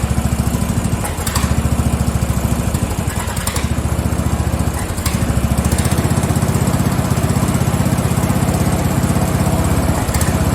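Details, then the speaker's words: Free Craftsman riding mower (lawn tractor 917.273760), after tightening a loose pulley bolt: engine chugs at a low, uneven beat near three pulses a second, never settling; rough running, owner suspects it isn't getting enough fuel. "I think it's fuel. I don't think it's getting enough fuel. Yeah, I don't think she's getting enough fuel. It just does not seem like enough fuel is running in there."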